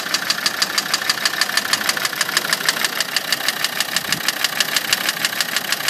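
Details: Land Rover TD5 diesel idling with a sharp, steady knock about three times a second; the cause is unknown.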